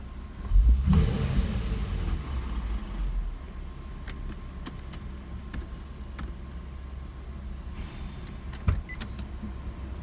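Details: Infiniti G37 in park at low rpm: low idle rumble with loose, irregular metallic exhaust rattle set off by vibration, caused by faulty catalytic converters, a known G37 issue.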